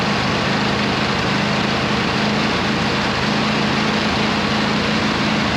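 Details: 26 HP Kohler V-twin lawn tractor after fitting new OEM Kohler ignition coils, replacing failed cheap coils that left it misfiring on one cylinder: smooth, even beat with no stumbles or pops; running cleanly.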